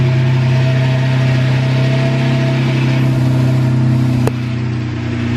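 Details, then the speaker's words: Manual Lamborghini Murcielago V12, first cold start after a 3-month engine-out rebuild with new hoses, seals, wires and fluids. Smooth, steady idle around 985 rpm with an even low hum and no ticks, misses or surging. Normal cold idle. "It's running real smooth. It actually is kind of cool with the exhaust shooting straight down. What's it idling at? About 985 RPM. Is that normal for it?"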